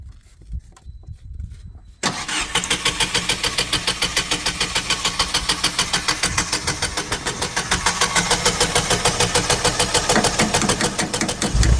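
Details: Generac standby generator at 5-10°F on its scheduled exercise day: starter grinds on at about three beats a second for ten seconds without catching; long crank no-start from low fuel pressure, stiffening fuel regulator diaphragm, and an old dying battery.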